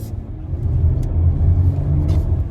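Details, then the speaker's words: 2023 Chrysler Pacifica pulling away: a deep, uneven thumping knock from the front end on acceleration and when turning left. A loose front axle nut is suspected, or possibly an inner CV joint. "hear that rumbling noise that knocking noise I pretty pretty sure it's an axle nut that's not tight so I'm going to take this apart"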